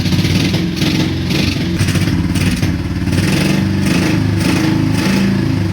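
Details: Honda Shadow V-twin motorcycle after Seafoam treatment: strong steady exhaust beat revving freely, firing on both cylinders again; previously wouldn't rev; owner suspects weak fuel pump.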